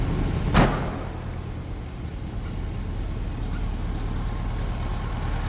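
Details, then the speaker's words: 1967 Volkswagen Transporter Camper, air-cooled flat four recently rebuilt, started in neutral: short clunk, then steady even low burble with no knocks or misses; running pretty smooth; normal idle. "Running pretty smooth. And again, just recently rebuilt."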